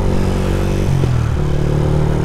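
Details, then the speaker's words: Sniper 150 riding in second gear after valve clearance adjustment (0.08 intake, 0.10 exhaust): steady drone shifting with throttle, barely any valve ticking from the top end; valve train quiet and healthy, normal running. "wala tayong masyadong na didinig na pitik. Maganda. Very good."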